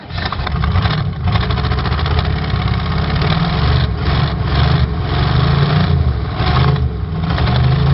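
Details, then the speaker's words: 1986 Oldsmobile Cutlass Supreme, 305ci Chevrolet V8, cold start after 60 days parked: rough lumpy idle cutting in and out, a dead cylinder misfire; owner suspects bad spark plug wire or fouled plug. "So it definitely has a dead cylinder. It keeps cutting in and out."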